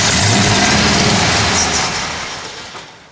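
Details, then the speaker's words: 1970 Plymouth Road Runner, unstarted for about 25 years, fired with gas poured in. A loud, rough burst of running sags and dies within about two seconds. Owner suspects the ignition timing is off and plans to back it up. "by got it ran we just got the timing off I'll have to I'll back I'll back it up a little bit"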